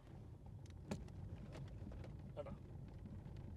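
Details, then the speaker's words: Ford EcoSport on a rough, cut-up road: irregular dull knocks come through the road noise from the front left suspension. The cause is not yet found; a stabilizer link or cut bush is suspected. "അപ്പൊ നമുക്ക് നൈസിന് cutter ഉള്ള റോഡിലോട്ട് കയറാം കണ്ടോ ഡും ഡും ഡും ഇടത്തെ സൈഡിൽ"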